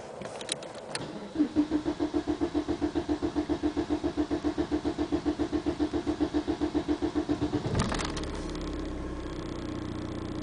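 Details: Audi A6 TDI diesel, 66 kW/90 PS: the starter churns three to four turns per second for over six seconds before the engine finally catches; long-cranking hard start.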